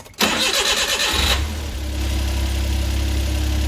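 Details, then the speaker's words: Suzuki Carry with freshly rebuilt engine, no coolant, after fixing high idle from two open vacuum lines: fires instantly, flares briefly, then settles into smooth even idle with steady low hum; normal idle. "runs perfect take this off that's all it [Music] was"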